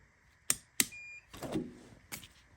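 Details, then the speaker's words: E-Ride Pro SS buggy converted from its stock 150cc gas motor to a 12kW electric motor, powered up via breaker with some connections missing: two sharp clicks, then one short high controller beep and nothing after, a normal startup with no fault codes. "run there beep all right no codes"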